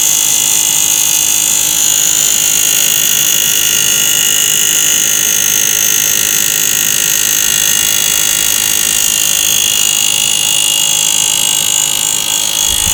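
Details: Asus R9 280X graphics card fan at 100% speed: steady high hiss with an even pulse about four times a second; the blades are suspected of slapping against the plastic cover.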